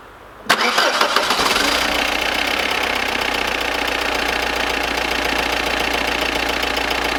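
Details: Audi Cabriolet, freshly rebuilt engine, second start: catches sharply, then settles into a quick, rough clattering idle of about four knocks a second. Typical diesel clatter, described as normal.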